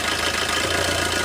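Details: Four-cylinder diesel car after injector three is re-enabled through an OBD2 scanner app. The idle is even with a steady clatter rhythm and no stumble or shake, so all cylinders are firing.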